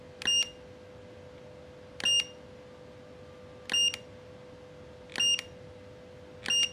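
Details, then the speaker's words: Godox V850 speedlite being repaired for hard power-on and no-fire faults, tested after repair: faint steady high whine, then a sharp pop with a bright chirp about every 1.5 seconds, five firings. The flash fires and recycles normally. "Nah ini kita nyalain oke nah dia suaranya Udah keluar oke kita tes iya flashnya mau keluar ya teman-teman ya mau nembak"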